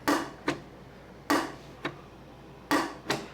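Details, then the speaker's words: Ironhead Harley-Davidson XLCH Sportster show bike clutch worked by hand with a cut-away primary cover: slow pairs of sharp metallic clicks about three seconds apart as the clutch release ramp hitches, causing the clutch problem. "let's take a look at what this clutch does when you try to release it you hear that"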